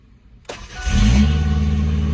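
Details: 1993 Ford Ranger 2.3L, first cold start after sitting overnight, fuel filter recently changed; owner suspects fuel pressure regulator leaking pressure overnight: brief crank, catches and settles into a loud idle; hard starting normally needs two key cycles.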